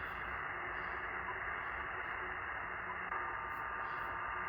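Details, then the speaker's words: HF receiver at about 14 MHz, background noise down to about S5: steady harsh hiss and static buzz with no signal; power line interference swamping the band. "At 14 megahertz, still about an S5 background noise. 18 megahertz. We're down here now, kind of the background noise level that one would expect. And it's starting to sound a little more like white noise in the background, although there's some of that 60 hertz growl in there remaining."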